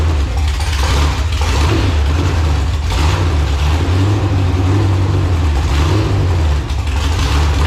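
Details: Marketplace LQ4 6.0 V8 (circa 1999–2000, iron heads), first run after coil pack ground fix, carburetor bowls not yet filled: rumble swells and sags about once a second, rich-lean hunting; surging from fuel starvation.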